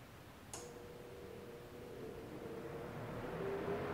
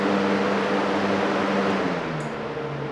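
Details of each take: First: DIY Arduino-controlled shop air cleaner fan switched to low speed via relay: after a click it settles into a quiet, steady low hum with no rattle, normal low-speed running. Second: DIY Arduino-controlled shop air cleaner fan: set to low via relays, the motor hum sounds high, then set high it drops to low. The two speed wires are swapped.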